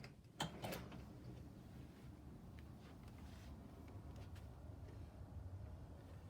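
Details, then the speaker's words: Door hinge after oiling pins with 3-in-1 oil via glue syringe: door swings with soft clack, no squeak or squeal. "squeaky squeak all gone"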